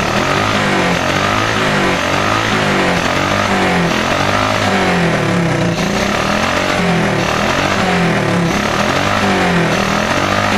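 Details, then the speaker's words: Smash 110 motorcycle single with a carburetor that misfires when a carburetor hole is left open. Revving with the hole covered, revs rise and fall cleanly with an even exhaust beat and no misfire. "Maganda yung tunog guys. Maganda yung RPM nya, yung revolution. Walang palya."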